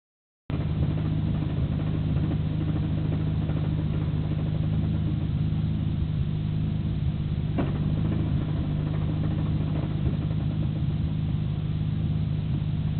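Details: Nissan Skyline GT-R BNR34, stock Getrag manual gearbox with Nismo clutch, recorded windows open: steady idle with dull, uneven rattle. It is abnormally louder than the usual idle rattle and lags after pressing the clutch. Worse in 1st and 6th. Persists after gearbox oil change; overhaul considered.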